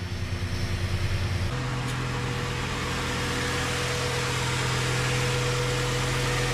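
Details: 1996 Ford F150 4.9L idling just after first start following radiator replacement and fluid work: steady, even low rumble with no knocks or ticks; oil pressure and battery normal, something smoking on exhaust, probably spilled PB Blaster; engine idling normally.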